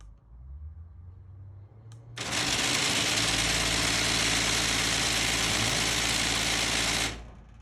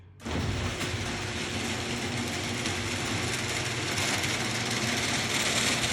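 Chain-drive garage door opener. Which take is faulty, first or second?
first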